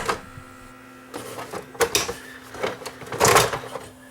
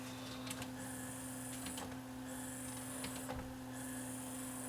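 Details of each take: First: Sony DVP-C660 DVD player with jammed disc tray: small motor whirs in uneven spurts with scuffing and rattles but the tray never moves; worn rubber drive belt under the tray slipping, needs a new belt. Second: Sony DVP-C660 5-disc DVD/CD changer after a new belt fixed the jammed disc tray: even motor whir in short runs with soft mechanical clicks as the tray cycles; strong torque without slipping, normal tray operation.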